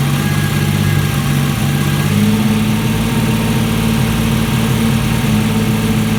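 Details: Alfa Romeo GTV 2.0 V6 Turbo, first start after rebuild, AFM-to-MAF conversion not yet tuned, aux belt needs re-tensioning: steady but slightly uneven, lumpy low idle drone, mixture still off.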